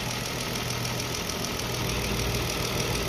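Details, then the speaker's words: Car engine warming up during an engine flush after the oil pressure light came on at startup: a light valve-train tick, about three a second, quietening as the flush starts to work. "You can hear the ticking from the valves is starting to quieten down, so it's letting us know that our clutch is starting to work."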